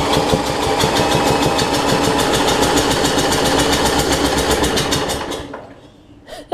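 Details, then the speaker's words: Murray rear-engine rider with a transaxle dated 1992 and a new battery; it ran the day before. Steady cranking pulses, about four a second, with weak firing attempts that never catch, then silence. Hard starting; owner says the engine isn't the main issue. "anyways I already run yesterday it's not running right now but the issue is not with the motor from what I understand"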